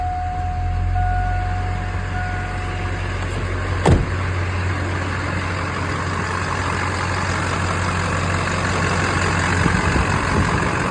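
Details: Stolen diesel truck recovered without hood, batteries and lights, crank-no-start fixed by replacing the missing ECM fuse: steady low diesel rumble at idle with an even beat, no stumbling; normal idle.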